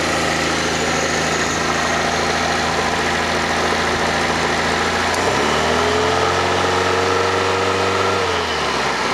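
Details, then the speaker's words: Fiat Panda 4x4 Sisley, FIRE engine, first start after water pump replacement, cold on manual choke: even idle with steady low hum, then speed rises smoothly and holds; no knocks or misses, normal cold idle. "so let's see if it works okay huh yeah seems to run okay let's get a bit more [Music] choke"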